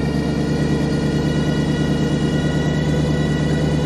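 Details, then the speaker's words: Car restarted for the first time since a fuel pressure issue, with the exhaust on, after weeks of cold weather: steady idle with a constant high, thin whine over the engine note. Source unknown; owner plans to pull the power steering belt to check. "We still have that whine. I don't know what it is. I'm gonna pull the power steering belt off one of these days when I have time."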